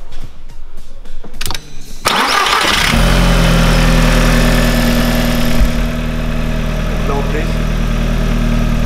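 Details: Audi after the twisted in-tank fuel pump was repositioned, started with a jump booster: a couple of seconds of cranking, then it catches cleanly and settles into a steady, even idle with no misses or knocks.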